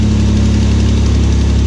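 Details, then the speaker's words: LS-swapped Nova V8 at idle after start-up: steady low idle with a light, quick tapping that starts to get quieter; suspected lifter tick. "You can hear a tapping there, but it starts to get quieter."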